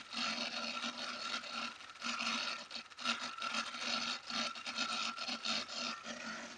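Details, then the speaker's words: Laptop cooling fan failing for hours, laptop still running: harsh uneven rasping scrape surging in bursts over high whirr, quieter when laptop tilted; owner suspects fan fault, grinding, not confirmed. "since it does this noise that sounds like the fans loss"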